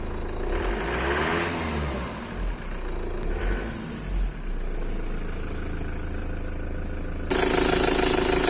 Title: Belt squeal on Ford Transit 2.4, 2 monts old belt and pulleys.